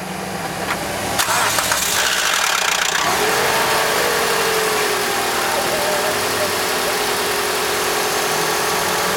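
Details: 2008 Toyota Corolla on start-up: after key clicks the engine fires and a mid-pitched whine drops slightly, then holds steady over the idle.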